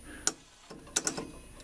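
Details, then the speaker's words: Rock-Ola 445 jukebox record changer in operate mode; it scans fine on scan. Sparse, uneven clicks and ticks with stalls in between; the mechanism stutters, apparently losing power at certain positions. "If you put it on scan, it will scan no problem. If you put it on operate, it stutters and stuff."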